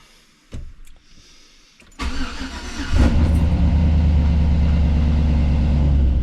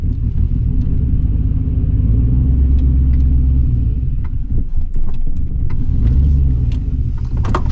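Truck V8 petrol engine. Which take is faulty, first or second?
second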